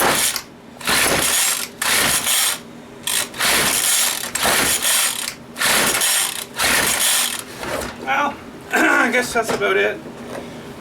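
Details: McCulloch string trimmer that has spark, with a little gasoline dribbled in: repeated pull-cord bursts rattle for a second each, never catching; cranks but won't start. The primer bulb is hard.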